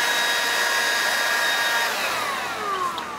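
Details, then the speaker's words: DeWalt DCBL720P1 20V brushless handheld leaf blower, battery-life test with large battery, held by a brick, nearing 22 minutes: steady high whine slides lower in pitch as motor slows; battery nearly depleted before cutoff at 21:47. "Hey so here we are coming up on 22 minutes and you can hear the tone changing"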